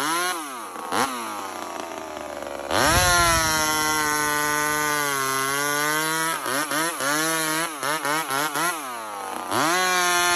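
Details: Homelite chainsaw, 28 full-house stock chain, cutting a log: crisp two-stroke scream that revs cleanly, pulls down steadily in the cut and recovers fast; normal healthy running under load.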